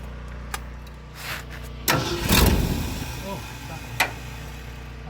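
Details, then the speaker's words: 1972 Ford F250 truck with a carburetor: starter grinds in uneven bursts and the engine coughs once or twice without catching; hard starting, with a clogged carburetor suspected after sitting in a garage. "Oh. Started to. Still not good."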